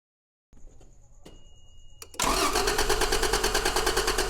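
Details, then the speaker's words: A 1993 Toyota Land Cruiser 80 Series cranks steadily at about three beats a second and spins freely but never fires. There is no spark from either the ignition coil or its cable. "The spark does not come from the coil nor from the cable either."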